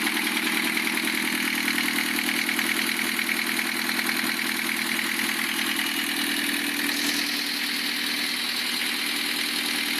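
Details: Lancia Thema 2.5 TD diesel idling after rebuild, sharp regular tapping near the cylinder head over the clatter; disabling injectors 2 and 3 reduces it only partly, timing marks correct; owner suspects piston hitting liner or valve, later says piston.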